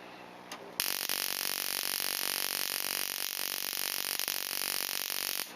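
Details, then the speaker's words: Ignition coil on a Solénotest coil tester spark gap: fast buzzing spark train with occasional brief interruptions, a few sparks missing; sign of coil fatigue, so the coil is judged suspect. "Alors, je ne sais pas si vous entendez, mais le train d'étincelle n'est pas constant. De temps en temps, il y a des interruptions, signe qu'il y a une fatigue dans la bobine et qu'a priori, elle ne serait pas bonne."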